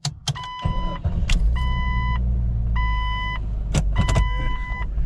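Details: 1998 Jeep Cherokee XJ after fuel sending unit replacement fixing a long crank, started after sitting about five minutes: catches quickly and settles into an even idle under a repeating dash chime. Normal start.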